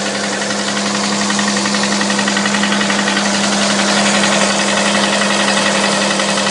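Steady idle with a fast, fairly even tapping about 220 a minute riding over the engine hum; a knock whose source isn't yet pinned down.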